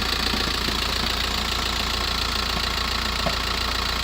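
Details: VW T5 1.9 L 102 diesel van at cold idle after sitting 24+ hours, with a steady rattle-knock of three or four a second that stops when the clutch is pressed and goes away after about 7 minutes; engine or gearbox, cause unknown.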